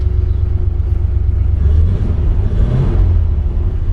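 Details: 1940 Ford Standard Coupe, 54K actual miles, Columbia 2-speed axle, just started on a warm day with the temp gauge rising, oil pressure about 20 psi, revs raised slightly: low steady even engine rumble; normal fast idle.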